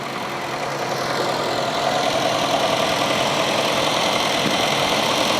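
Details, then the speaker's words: Honda City after rebuilding both electric radiator fan motors that were running weakly and causing high engine temperature and poor AC, AC on max: strong steady rush of air over quiet idle, no rattle; both fans run normally again. "จากนั้นเราก็ทำการออกไปดูนะครับว่าพัดลมทำงานเป็นประสิทธิภาพหรือเปล่านะครับนี่นะครับทำงานแรงดังปกตินะก็กลับมาเย็นเหมือนเดิมแล้วนะ"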